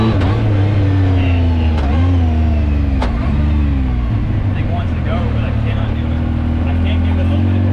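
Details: 2019 Yamaha YXZ1000R SS side-by-side, 5-speed sequential paddle-shift gearbox, neighborhood drive: engine drone under a steady mid-pitched whine tracking road speed through shifts; normal gear noise, nothing wrong.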